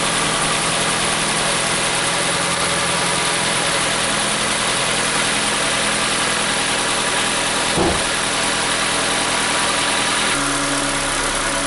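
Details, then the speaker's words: 2011 Ford Fiesta after new spark plugs and wires: a slight stumble on first start from the dry plugs, then an even, steady idle with no misses. Engine runs healthy. "Once everything got wet, everything balanced out. It's nice and smooth."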